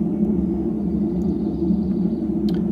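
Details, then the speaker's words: Hotpoint (GE) washing machine in the spin cycle: steady deep roar and low drone from worn tub bearings that bind under load, overloading the motor until the control board shuts the machine off; fix is a new gearcase, likely uneconomical. "it puts a bind on those bearings, and they'll catch and put too much torque on the motor"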